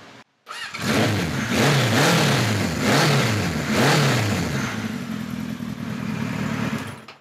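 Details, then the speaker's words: 1976 Kawasaki KZ900-A4 inline-four, final run after correcting exhaust cam timing, fixing bad plugs and fitting a 4-into-4 exhaust. It catches quickly, then clean throttle blips rise and fall crisply and settle to a steady idle; it sounds healthy. "all right so that runs a hell of a lot better so let me tell you what I did um off camera first thing I that is really good so it sounds real nice with that four into four"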